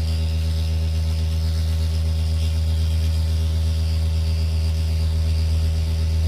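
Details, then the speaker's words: JBL Charge 2 Plus portable speaker driver on test tone: steady low tone with a thin raspy buzz on top; cone rubbing inside. "something's definitely rubbing in here the speaker"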